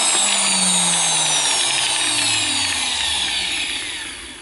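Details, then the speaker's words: Milwaukee AGV 15-125 XC angle grinder after replacing controller unit and carbon brushes: high motor whine falling smoothly as it coasts down, no grinding or scraping; now works, though owner dislikes the sparking and runs it longer to check the armature. "Okay, now it works. I don't really like the sparking of it, but it needs to run a little bit longer to see how is the armature."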